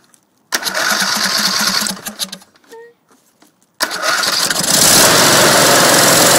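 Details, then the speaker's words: Freshly cleaned carburetor on a racer engine: cranks and catches, stalls briefly, then restarts and pulls to a strong, steady run without knocks; fuel pump working. "I just poured a little bit of gas down the carb cranked it fired up on that and started sucking from the tank"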